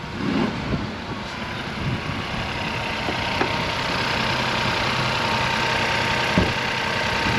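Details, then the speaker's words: Crash-damaged salvage car, first start on jump leads after clearing crash codes: engine settles into an even, steady idle with no knocks, misses or ticks; sounds healthy. "Sounds all right. All of this should be all right, shouldn't it? Really? Engine wise"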